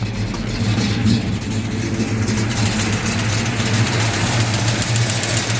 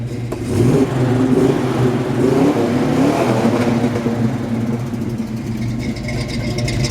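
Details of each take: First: Warm 1968 Pontiac GTO 6.5 L V8, 4-speed, reportedly rebuilt years ago, headers and Flowmaster exhaust, long sitting: light fast ticking over loud idle; owner suspects a loose rocker arm, lifter or weak valve spring needing adjustment. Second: 1968 Pontiac GTO 6.5-liter V8, 4-speed, Flowmaster exhaust, revved in place: deep, even burble climbing smoothly and settling back, no knocks or misses; normal healthy V8 revving.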